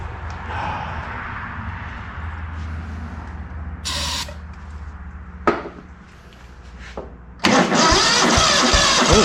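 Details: ZT200 mower twin after ignition conversion, spark verified, starting fluid sprayed in: starter churns the engine steadily for several seconds but it never fires or catches; owner suspects blockage or bad starting-fluid can.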